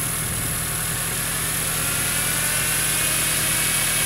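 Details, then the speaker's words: 1976 Chevy LUV with worn, low-compression four-cylinder on points ignition, long parked: ragged, uneven chugging under a hissy background; runs rough, ignition system to be fixed. "It just runs like crap. Oh, oh, God. It is a piece of shit. So we're going to fix the ignition system as well."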